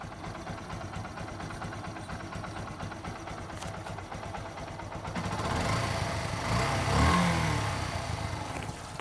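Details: Motorcycle engine after fixing a timing-chain tick-tick knocking noise that lasted months. Steady, even idle at about three beats a second with no knock or tick, then a smooth blip of revs; healthy.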